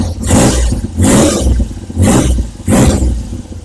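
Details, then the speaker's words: Triumph Trident T160, engine already warm, first start after carburettor re-jetting and exhaust rocker box removal: four quick throttle blips rising and dropping cleanly to an even tickover, no stumble or popping; healthy revving. "It seems to be running really well, but obviously I've got to give it a road test. Won't [snorts] know till then, but it seems to be really good. Ticking over really nicely. Revving nicely. Stable tick over. All good."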